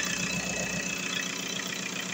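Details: VW Golf 4 diesel after repair of a crank-no-start fault (fuel injection pump errors: low delivery, open circuit). Charging checked at 14.4 V. Steady, even idle clatter with no misses or knocks. Repair successful.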